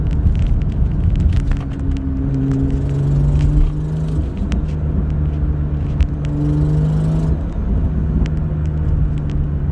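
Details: BMW M2 with N55 turbo six running at steady speed: sharp, irregular ticking from an exhaust leak through a hole in the turbo manifold; fixed afterwards.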